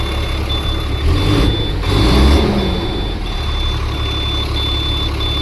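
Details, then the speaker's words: Circa 2004 International 4400 DT466 diesel truck, started after sitting, fuel additive added, heavy blowby: steady idle swells into a clean rev and settles back, beeping in background. "Nice. It revs up now."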